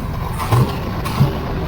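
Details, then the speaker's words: 1980 Z28 V8 just started on a new knock-off Holley 4-barrel carburetor, no brakes, carb not leaking: steady, fast idle with a quick even lope and no stumble. The idle is set too high and needs turning down. "Okay, let me let it run for a minute and uh see if I get that idle down a little bit lower cuz I I can have it putting it in gear and having it move real Fast."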